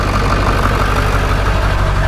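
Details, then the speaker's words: Ford 7.3 Powerstroke diesel, cut exhaust: starts up perfect, deep even diesel clatter at steady idle with no shake, miss or smoke puffing. Normal diesel idle. "here's another example of what these sound like when they're running proper starts up perfect no shake"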